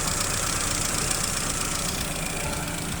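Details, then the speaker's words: Chevrolet Aveo with a cylinder misfire, engine started to check injector pulse on the failing cylinder: uneven, stumbling idle with a hollow, irregular beat over hiss; one cylinder dropping out. "Bueno voy a encenderlo ya que ese cilindro está fallando y verifico pulso de este inyector"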